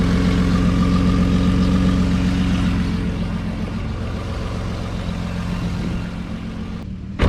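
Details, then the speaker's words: 2009 Nissan Murano after stick-welding the rusted exhaust snapped before the muffler: steady low idle with even pulse and no rasp or puffing leak; quieter normal idle. "So, fire it up and should be quite a bit quieter than it was to begin with."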